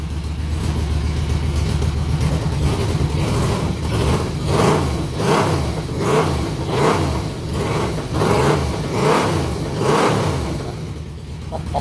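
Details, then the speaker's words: 2006 Yamaha Vmax, liquid-cooled 1198cc DOHC 70° V4, at a deep, lumpy idle with sharp throttle blips about every second and a half, each rising and falling cleanly; loud, healthy engine sounding like a top fuel dragster. "Oh yeah, it just has that sound. It definitely sounds like there's top fuel dragsters when they're sitting on the line getting ready to launch."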